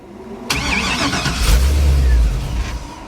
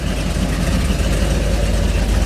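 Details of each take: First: 1957 Chevy with Holley system still learning, first drive out of the shop under its own power: catches with rough uneven burst, revs briefly, then sags; reluctant start, cause unknown. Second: 1957 Chevy with a Holley system still learning, first run out of the shop: deep, even rumble with a steady lumpy beat and no knocks or ticks; lively, rowdy idle. Normal idle.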